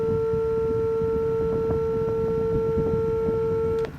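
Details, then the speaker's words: Fanvil 3XP IP phone with no PBX connected: a single steady mid-pitched tone for about four seconds then cuts off, the default China-standard dial tone. "But anyway, when your PBX is running, the phone tends to change the default tone back to the China standard, which is that beep sound, which is"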